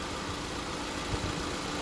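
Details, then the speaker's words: 2016 Honda Civic during R1234yf refrigerant recharge at idle, compressor clutch engaged and spinning, fans on: steady, even whir and hum with no rattle or clutch chatter; normal AC compressor and fan operation. "fans are on, and the double check with the light here, the clutch is spinning. That's a good sign there."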